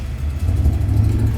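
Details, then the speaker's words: 1972 Chevrolet El Camino, 402 big-block V8, after rebuilt Quadrajet carburetor and tune-up with new spark plugs: deep, strong rumble pulling evenly with no stumble or miss; responsive, normal throttle response. "Look at that, man. Just responsive, dude. That's why I much rather rebuild a quadjet than buy one."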